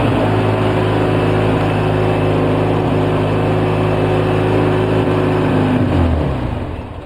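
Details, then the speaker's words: 2004 Polaris Sportsman 700 twin running on 10-15% choke with seafoam after about 10 minutes: uneven loping beat about four a second, sagging and fading; dies without choke; rough idle, carb suspected poorly rebuilt with loose, missing screws. "Not leveling out like I hoped it would, Al. But it's only been running for about 10 minutes."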